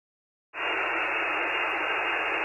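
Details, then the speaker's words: Luiton LT-310SDR compact all-mode CB radio on AM: constant harsh hiss fills the speaker with no signal underneath, a high receiver noise floor even with the noise blanker on; the receiver also sounds harsh and hashy on skip. "We still have a high noise floor even with the noise blanker on."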